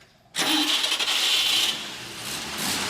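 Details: 1948 Chevy Fleetmaster after cleaning the starter commutator bars for a slow, growling starter: brisk, bright starter whir for about a second, then the engine catches and settles to a quieter run, better than before.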